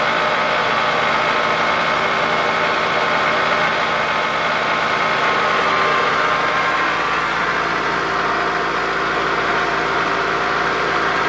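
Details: 2003 Toyota Camry, about 200k miles, after a shredded belt was replaced but not the tensioner: a loud, uneven top-end tapping at different idles. Owner suspected lifters and camshaft; later found a snapped camshaft and a bad timing idler, and the engine was replaced.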